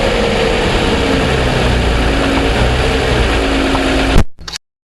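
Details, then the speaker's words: 2007 Toyota Sienna engine on cold start, mic in engine compartment: light irregular ticking about three per second over engine hum; dealer calls it piston slap, considered normal, vehicle under powertrain warranty. "I took it in um complaining that you know on cold start I'm having problems with the engine making a ticking noise and you know they don't deny hearing it and they um thought that it was uh piston slap which they happen to think is is normal on these vehicles"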